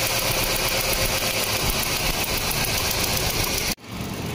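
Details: 2009 Hyundai Accent 1.6L with a misfire and rough-running complaint (P0300, P0301 cylinder 1 misfire); even, steady idle with no stumbles or skipped beats; running smoothly.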